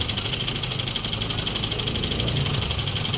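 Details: Toyota Vios 2NZ with idle dropping and stalling, throttle body already cleaned and no misfire: petrol engine idles slightly unevenly with a steady high hiss, pointing to a vacuum leak at the PCV hose.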